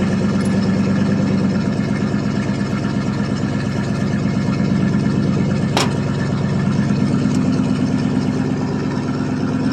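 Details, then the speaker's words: 1979 Chevrolet C10 Bonanza Big 10, 305 two-barrel V8, cold start after sitting about a month: steady, slightly lumpy low idle, no knocks or squeals over an even exhaust beat; normal idle. "but it is a runner and a driver though sound like a rip roaring race car"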